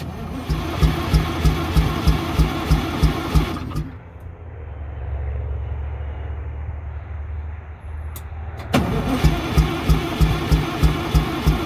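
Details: MCI MC8 diesel bus, sat about two years, first day above freezing, cranked from front controls, batteries suspected weak; smoking so fuel present: steady cranking, stops, cranks again, never catches; long crank, no start.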